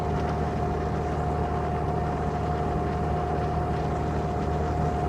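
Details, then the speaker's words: 2000 Jeep Wrangler TJ, sat about two years, running about 210 degrees with good oil pressure while driving: steady road drone with a constant mid-pitched whine; owner hears howling from the rear end, suspected differential howl, not confirmed. "yeah there's definitely some howling coming from the rear end"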